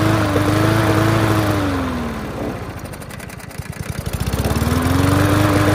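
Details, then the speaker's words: Yard Machines MTD push mower, air box off, hand over intake testing fuel; single-cylinder surges and dips, speed sagging and recovering with uneven popping; cause found: loose rattling spark plug wire giving intermittent spark, fixed by pushing it on. "that fixed it for sure just a loose rattling spark plug wire causing intermittent spark and that solved it"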